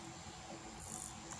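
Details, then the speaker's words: Polytron active speaker amplifier with a secondary voltage drop, after replacing the faulty TDA IC; touching the input gives a faint, even hiss with a light hum, no crackle; amplifier working normally again. "kita tekan saja di bagian inputnya ini ya ini aja sudah mengeluarkan suara desis Ya seperti ini"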